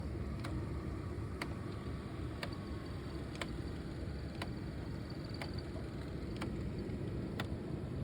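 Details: 2004/06 Mercedes CLK C209 / C-Class W203 with facelift interior: sharp, light ticks exactly once a second from the dash over a quiet engine hum; both footwell flap actuators have been replaced, and a climate flap actuator is suspected.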